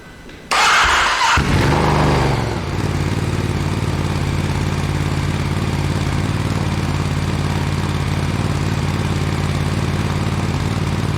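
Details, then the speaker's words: Ducati Desert X, first startup after fitting Arrow decat pipe plus air filter reassembly, cold before oil-change warm-up, separate mic: starter whirs, twin catches cleanly into steady even loud idle, no misses or knocks; normal. "So, this will be the first startup since I've put the decat pipe in. We'll see how loud that gets"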